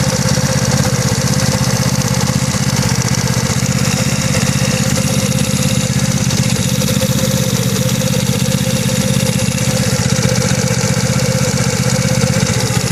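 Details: GY6 180cc scooter engine at steady idle with a dull regular knock about four per second, recently getting louder; owner suspects it comes from the head, not confirmed.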